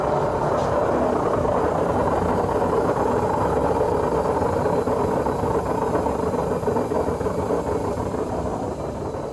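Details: Samsung front-load washing machine: a loud, steady roaring rumble as the drum spins. Play is felt when lifting the drum from below, pointing to worn drum bearings that are to be replaced.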